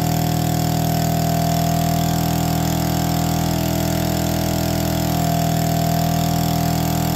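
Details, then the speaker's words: APC mini chopper, electric start with no choke after priming: it catches and settles into a steady, even idle with a constant buzzy note, no misses or knocks. Normal idle. "come on lives and idles it's official"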